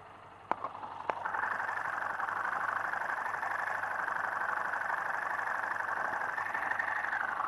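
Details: Motorcycle engine of a new bike with no noise problem, heard through a screwdriver used as a stethoscope: fast, even ticking over a steady mid-pitched hum with no heavy knock; normal internal mechanical noise.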